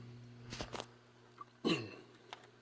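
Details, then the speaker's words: Shop-built Hammond Leslie cabinet in a rack: after adding a lock nut and wingnut at the grill, the rotor motor no longer makes its earlier noise. Steady low hum with a few handling clicks; some noise remains from cabinet vibration once running. "you can hear it's not making that noise anymore which is good it is making a small amount of noise from this you can hear it now because this thing vibrates so much when it gets going you're gonna end up dealing with some noise"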